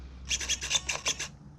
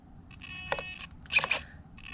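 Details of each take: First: Savox servo on a modded .32 nitro RC car whose throttle was catching, checked for endpoints: seven quick crisp buzzes as it sweeps, silent between moves with no humming, chatter or glitching. Healthy servo. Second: Throttle linkage on a modded .32 nitro RC with Savox servos, running rich at raised idle: short servo whirrs with sharp clicks about every second, linkage catching; owner suspects it pops on the linkage step, or possibly a receiver issue, unconfirmed.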